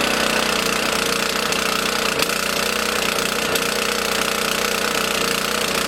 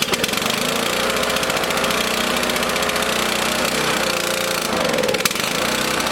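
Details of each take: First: Small single-cylinder lawn mower engine on 87-octane fuel stored 13–14 months, started with choke out after about eight pulls, runs at a steady, even speed with no stumbling or surging: running normally. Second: Lawn mower engine on fuel with extra K100 additive, started switch on, choke out: ragged uneven running with wavering speed, needs feathered choke, no easier to start than the others; rough running on choke.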